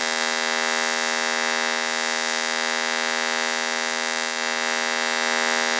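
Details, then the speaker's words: Fronius TransSteel 2200 in pulsed TIG mode, pulse frequency raised from about 5.4 to 80: steady high buzzing hum with a fast even pulse underneath; normal pulsed arc. "so as you can hear it's definitely running a lot different and that's because of the pulses"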